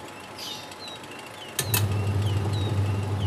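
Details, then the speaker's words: AQUA QW-781 XT twin-tub washing machine, wash timer turned on test: click then low steady motor hum, drum turning left then right smoothly; wash motor reversing normally, wiring to motor intact. "coba ini pencucinya kita putar kita lihat ya dia harus bolak-balik sobatnya"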